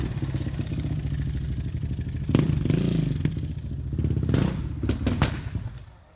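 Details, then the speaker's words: Older carbureted Suzuki RMZ 450, first start without rejetting after move from higher elevation: deep thumping single with heavy uneven knock swelling with revs; seller claimed normal for that year, rod knock suspected, unconfirmed. "Hear that noise it's making? The guy told me about that. And he was just like, it's just this year's Suzuki kind of thing."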